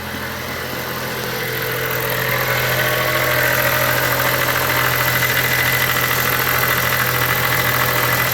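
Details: 2013 Chrysler 200, about 170,000 miles, idling after a cold snap and much worse when cold: loud constant whirring rattle at the front from the alternator's overrunning clutch pulley, found with a pulse sensor against the adjacent power steering pump.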